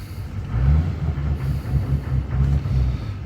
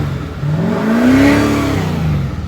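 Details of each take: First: 2014 Chevy 2500 Duramax with an EGR delete, with the valve connector plugged in: low, lumpy diesel rumble that won't idle and surges without picking up revs under throttle, with heavy smoke; hesitation under throttle. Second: 2014 Chevy 2500 Duramax that ran rough, smoked heavily and wouldn't accelerate with no check engine light. With the EGR valve unplugged on the partially deleted EGR system, it revs cleanly and freely with no smoke.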